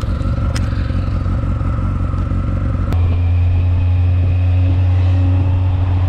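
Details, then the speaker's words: Yamaha XJR motorcycle restarted after project work, idling stable without choke (unexpected): uneven lumpy beats and cloc-cloc clonks; irregular clonking, owner suspects ignition misfire from faulty spark plug caps, not confirmed. "Direct, elle est stable au ralenti sans le starter, quoi. C'est pas franchement normal, ni les cloc-cloc qu'elle fait aussi."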